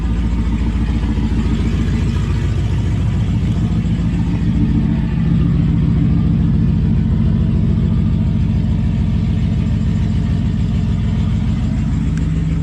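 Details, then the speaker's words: LS1 V8-swapped Nissan Patrol at startup and light revving, before the exhaust repair: deep V8 rumble with a raspy puffing edge that follows engine speed. Exhaust leak. "it'll be sounding good at the tail pipe and not the exhaust leak"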